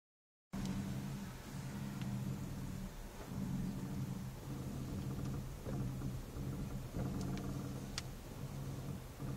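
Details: A3 VR6 making a low droning groan that swells and fades repeatedly as the steering is worked.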